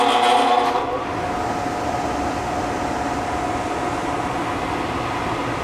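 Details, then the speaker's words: Furnace blower motor buzzes harshly with a thin tone as the fan starts, then a rough steady rumble; the motor drags on a rusted shaft, and the old run capacitor is to be tested and replaced to cure the buzzing. "this is what's there now so we're going to pull that off test it and replace it and hopefully it'll get rid of that buzzing sound that you heard when the fan first started up"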